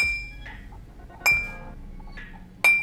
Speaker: you hear that clear metallic ring that means the grinding wheel has passed the test and you're free to mount it